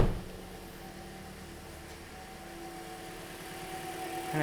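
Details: 2010 Toyota Corolla idling after radiator and coolant connector pipe replacement, heater on, thermostat not yet open, air bubbles bleeding out: soft, even idle with low steady hum, no knocks or squeals; engine running smoothly.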